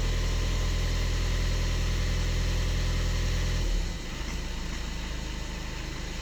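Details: 2013 Skoda Octavia A7 1.6 TDI diesel, 188,000 km, 40 degrees stated: cold idle with a steady rhythmic clatter about three beats a second, then quietens as it warms; knock on cold start disappears when warmed up.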